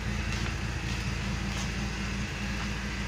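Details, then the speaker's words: BMW E46 with N42 engine vibrating badly, before repair, heard at the exhaust: steady rpm but stumbling note with occasional soft coughs; misfire traced to failed crankcase oil separator. "Oke sekarang kita lihat di bagian knalpot nih [Musik] batuk-batuk gitu Dia suaranya terasa batuk-batuk"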